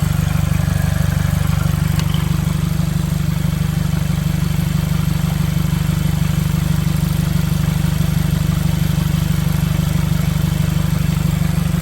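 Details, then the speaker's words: 2015 Mercedes CLA 250 4Matic salvage rebuild idling with no exhaust fitted: loud, raw, deep throbbing idle; owner also suspects a vacuum leak toward the back of the engine. "the car stays on the reason it sounds like this because it doesn't have the dump the exhaust it doesn't have the exhaust"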